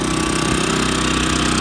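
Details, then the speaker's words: New Champion 3400 W dual fuel inverter generator, model 100263, just switched from LP to gasoline, heard from five or six feet away with sound reflecting off a truck box: steady even hum, no knocks, surges or rattles; running normally. "you are five or six feet away getting the sound that it's been amended some of the sound that's come in this direction is reflecting from the box of the truck"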